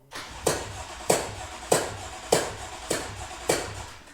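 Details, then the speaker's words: BMW M4 bought at auction, jump box at 13.8 V, third start attempt: sharp, even chuffs about 100 a minute while cranking, never catches; compression pumping out through a spark plug hole, coil pulled and plug found missing. "it looks like there is no spark plugs and it's pumping like that let's check let's check it out"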